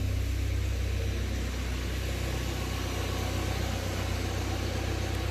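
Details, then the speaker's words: Car idling after AC recharge: steady, even idle with smooth low hum, no knocks or squeals; AC compressor engages and runs normally, fans working, air cold. "that's good that one's slowly coming down the fans are working that's good"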